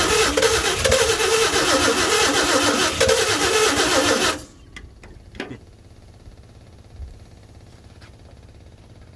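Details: 1952 Chevy with new Autolite plugs, carburetor filter off, gas poured down the carburetor: an even starter churn at about three turns a second for four seconds, never catching. It cranks but won't start; the owner suspects low compression from seized rings and a weak fuel pump.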